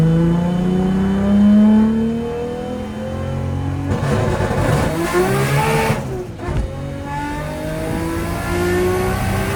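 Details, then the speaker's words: Freshly reinstalled big-turbo RB25 NEO on its first drive, about 18-19 psi boost: strong pulls with pitch climbing cleanly through the gears, no knocks or rattles, good oil pressure; the transmission has since turned out damaged. Normal engine under boost. "all right good news is the motor is healthy making good oil pressure sounds good nothing sounds out of place"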